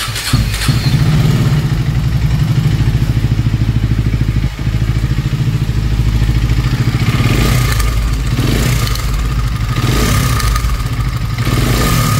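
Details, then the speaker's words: KTM Duke 250 BS6, new bike: rough idle with a loud, uneven mechanical clatter over the firing beat, about three per second; worn timing chain and camshafts found, timing chain replaced. "Engine में हमने इसमें एक ये इसकी timing चैन खराब थी। Timing chain हमने बदली है इसकी"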